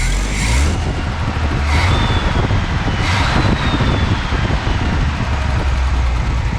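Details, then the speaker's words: 1970 Chevy C10, bone-stock 250 inline-six, after swapping Rochester Monojet for a 2-barrel Holley carburetor with new jets and adjusted throttle screw; steady low even idle, no stumble or choking; normal idle. "Sounds good. Feels pretty good. I don't hear any stumble or any choking."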